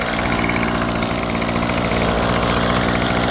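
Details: Small two-stroke string trimmer engine idles steadily with an even, buzzy drone and no stumbling, after its clogged carburetor fuel screen was cleaned with a Q-tip to cure bogging under throttle from fuel starvation.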